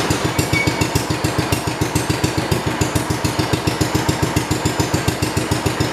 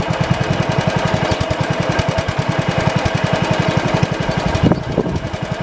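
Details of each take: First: 1971 John Deere 110 hydraulic-lift tractor that had running issues, started after plug work and possibly a little flooded: a small single thumping evenly at about 3.5 beats a second with no misses, running nicely. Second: 1971 International 110 tractor with running issues: engine thumps steadily with a sharp snapping tick on each beat, heard but not seen arcing from a chafed spark plug lead; owner plans to tape the wire.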